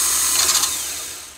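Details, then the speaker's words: Honda CR-V starter removed for a no-crank, no-start problem and bench tested with a remote starter button: a quick high whir spinning up freely and winding down smoothly with no grinding, so the starter is healthy. "we will hit the starter button to see if we can get the starter to turn over and engage so it sounds like a very healthy service"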